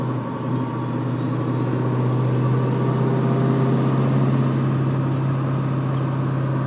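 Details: Ford 7.3 diesel running: steady low hum under the engine note with a faint rising and falling whistle; humming noise of unclear source.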